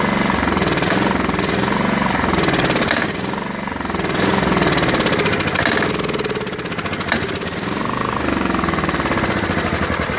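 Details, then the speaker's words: Snapper SR1433 rear-engine rider, sat 8 years, kept going on starter spray, gravity-feed fuel: loud choppy chug that surges and sags unevenly; carburetor starved of fuel, bowl later found holding smelly green old fuel. "Trying to figure out why it's not getting fuel in the carburetor."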